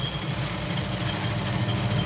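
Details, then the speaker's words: Automatic washing machine converted to manual timer after module failure, spin motor wired to the yellow capacitor: smooth, even hum with faint steady high whine, no scraping or knocking; spin drive running normally. "untuk Spin pengering Nah kayak gini kalau Spin pengering di blog ini berputar semua ya"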